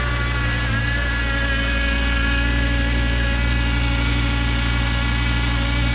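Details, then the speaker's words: 2006 Volvo XC70 after new downpipe and full exhaust with muffler: deep, even exhaust drone, steady low rumble, no rattles or leaks; healthy, moderately loud exhaust. "all right doesn't sound too bad at all not too bad at all at Muffler it's not it's not as loud as what uh what I was originally going to put on it"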